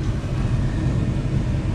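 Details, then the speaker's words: Car cabin blower motor behind the glovebox after repair and reinstallation: steady smooth low hum, much quieter with less vibration than before, no rattling or scraping. "we have the blower motor installed again and we're gonna try it out a lot more quieter now vibration is not as bad you could definitely hear the difference"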